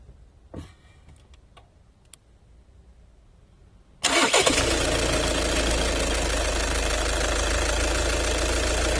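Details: VW 2.0 TDI common-rail diesel cranks, catches and settles to a steady, busy idle with a fast tick over it. Strange noise, suspected fuel pump, unconfirmed.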